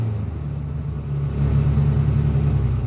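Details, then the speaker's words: Bobcat 3400XL (rebadged Polaris Ranger 500, circa 2010-13), single-cylinder fuel-injected 500: revs fine to three-quarter pedal, but at full throttle the thump falters and decelerates; bogging from weak fuel pump. "if i take the the gas pedal and i push it down about three quarters of the way the engine revs good if i go the rest of the way to the floor the engine actually decelerates and sounds like it's getting worse"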